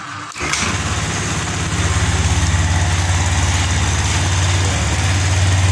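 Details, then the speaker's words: Injected scooter, kick-started on a weak battery, after refitting the original injector; two non-original injectors had failed. It catches at once, idle hangs high then eases to a steady, even putter with no misses. Fixed and running healthy. "Ini gas masih tinggi. Nah, turun. Perhatikan Pak ya, untuk tarikan gasnya."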